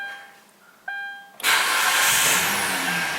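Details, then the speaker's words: Kia Rondo 2.7 V6 with extended crank/hard start after sitting, traced to fuel delivery: short crank then engine catches and settles to steady run; normal start. "I just heard a prime up nice and solid right there so maybe it'll start real easy well not really easy"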